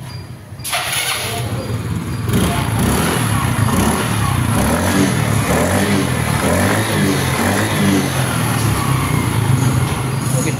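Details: Yamaha Xeon GT 125 scooter after fixing a rough-sounding engine by replacing the defective cylinder block and piston, using a carburetor Xeon block: fires after a short crank, settles into a steady, even low putter with no knocking; normal idle.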